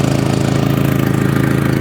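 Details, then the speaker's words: Audi TT with newly fitted exhaust, idling; steady idle with faint puffing chuff on each firing pulse, exhaust blowing at the front downpipes, confirmed by sound, fume smell and feeling gas by hand. "there there the down pipes and I think it's definitely going from there so I can just hear it and smell the exhaust fumes"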